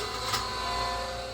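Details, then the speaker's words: Sanford surface grinder motor, remounted and run through the drum switch: spins up with an odd whirring rattle over its hum; owner believes the cooling fan is not pressed onto the motor shaft. "well I got the drum switch wired up and connected to power and as you could hear there it still made a pretty strange noise in the motor which again again I believe is going to be attributed to that fan is you know it's not um pressed onto the back of that motor shaft"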